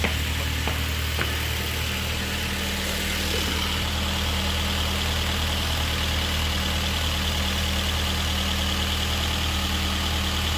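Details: Honda CRX with swapped K24 on Haltech ECU, idling while a mechanical vacuum gauge reads about 22 of vacuum, matching the Denso OEM MAP sensor: steady, even low hum with no stumble or knock; normal healthy idle.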